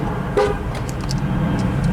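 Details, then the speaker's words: 2004 Chevy Trailblazer (GM) after remote programming: a short single horn chirp over the running engine and street noise. Normal lock confirmation, remote working. "All you do is cycle the key forward, you'll hear the lock cycle again, you'll hear the horn beep"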